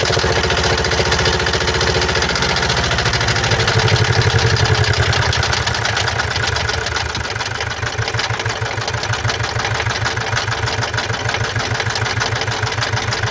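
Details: 2017 Mazda CX-5 (GH) 2.2 diesel, SHY4 engine, 110 kW/150 PS, 152,302 km, starts and settles to a rough, uneven idle with loud ragged clatter, caused by faulty injectors and a faulty mass airflow sensor.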